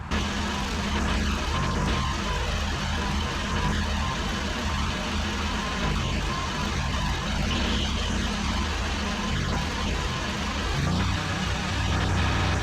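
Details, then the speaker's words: ZT200 mower after a used hydrostatic pump was fitted and refilled with Rotella T 15W-40, run forward and back to purge air: steady engine drone with an even low drive hum, no whine or knock. Normal hydrostatic drive. "good yeah no funny noises uh you could hear it when it kind of got the air out"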